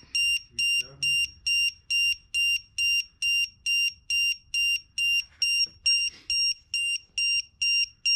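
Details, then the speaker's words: E-Flite Turbo Timber 1.5m RC plane: loud evenly spaced high-pitched beeps about twice a second; low-voltage alarm set too high at 3.9V, two cells at 3.88V, pack at 15%; battery low-voltage alarm. "Oh, is that 3X? One of the cells is at 388, that's why it's going off. Well, two of the cells. It's at 15%."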